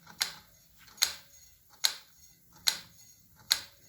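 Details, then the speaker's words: Kawasaki KLR 650 after Trail Tech Vapor install, wheel turned slowly: crisp light ticks about once a second; speed sensor magnet on the brake rotor pulls the brake pad, not a wheel fault or bolt hitting. "That magnet is strong enough that is actually moving the brake pad. See if I can catch my finger in this frickin' thing. Yeah, it's just the brake pad clicking."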